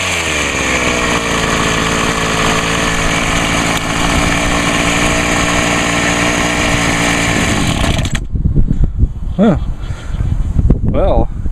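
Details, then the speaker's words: Homelite HT-21 hedge trimmer two-stroke after carburetor rebuild, restarted, no carb adjustment needed: steady, high, even buzz for about eight seconds, then a clean shutoff; runs smooth and healthy. "kind of lucky on this it really had to do no adjustment right waiter that's sweet"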